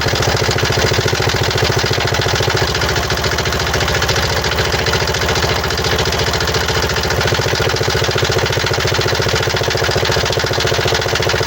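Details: 2017 Mazda CX-5 (GH), 2.2 L SHY4 diesel, 110 kW/150 PS, 152,302 km, at idle: harsh, uneven clatter of about three and a half knocks a second. Caused by defective injectors and a defective mass air flow sensor.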